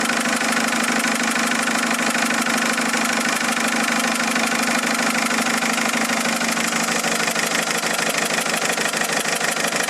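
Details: Mercedes A170 diesel after three injectors were changed: a hard, regular knock over the clatter at idle, roughly one and a half beats a second, steady throughout.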